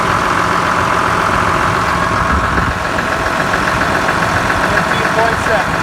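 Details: Cat D5G dozer after alternator belt tightened to fix low charging and stalling; steady even diesel idle with no belt squeal or chirp; normal idle, no belt slip.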